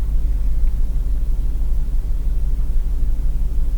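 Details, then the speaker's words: 2004 GMC Yukon in its 16th year with a check engine light, P0300, loss of power and hesitation: the idle drops, wavers and bounces, nearly stalling, with a deep uneven rumble. Misfire before Seafoam fuel additive is tried; cause unconfirmed. "As the idle will drop off and it'll start to bounce around, and it feels like it's almost going to stop."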